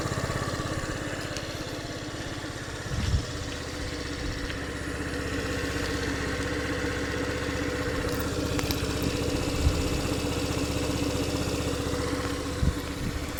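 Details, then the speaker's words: Yamaha Jog AY01 scooter (AF74E single-cylinder engine), just after a valve clearance adjustment and reassembly. Steady, even idle with no valve tick or rattle; runs smoother and quieter than before. Normal idle. "The valve adjustment is complete. The engine runs smoother and quieter now."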